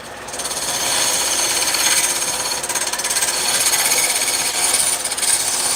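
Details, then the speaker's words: Wood lathe turning a lopsided blank: rapid uneven chattering scrape of the gouge under high hiss as the piece wobbles; normal chatter from the out-of-round blank, to be shaved down until it no longer wobbles. "You can hear it chattering. Well, that's not a big deal because that's normal."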